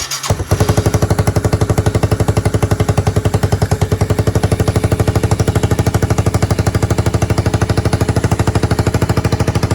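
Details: Yamaha 225DR Tri-Moto under restoration, cold start with a little choke and a little throttle: fast, even single-cylinder thumping at about three beats a second, steady and strong with no misses or knocks; runs healthy, though rear swing-arm bearings are worn out.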